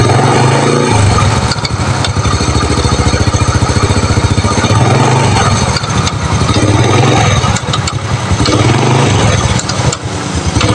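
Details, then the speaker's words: Honda Supra Fit New small motorcycle at idle with an uneven light "kletek" clicking rattle from the clutch cover, a common fault on this model. "Nah, oke guys. Jadi suaranya seperti itu ya. Ada keletek keletek keletek keletek dan keletek ya."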